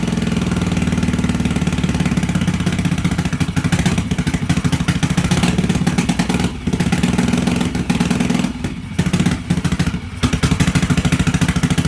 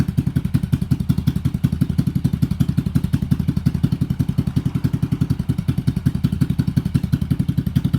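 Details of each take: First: 1986 Yamaha XV750 Virago V-twin, first start after winter with Gen1 KJS single-carb manifold, old gas, dirty carbs, choke disconnected, cold: uneven chugging with dropouts and stumbles, struggling to hold idle; runs rough, needs tuning. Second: 1986 Yamaha XV750 Virago, first spring start, Gen1 KJS single carb manifold replacing homemade one, choke disconnected, slightly rich: even, steady low pulsing idle, both cylinders firing cleanly; normal idle.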